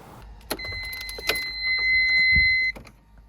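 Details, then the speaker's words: Ford Sierra Cosworth, ignition on after fuel-line work (braided fuel pump pipe) and fresh petrol: steady high electric hum for about two seconds then stops, fuel pump priming the system normally; pressure built, no leaks, all dry. "That's pressure in the fuel system. No leaks, it's all dry."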